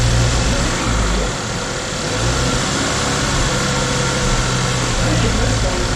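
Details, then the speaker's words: 2012 Chevy Equinox after a jumped-timing repair with no bent valves: an uneven, stumbling, loping idle. Misfiring is suspected from oil dumped in the cylinders; no trouble codes were found. "I suppose it's misfiring from all that oil in there."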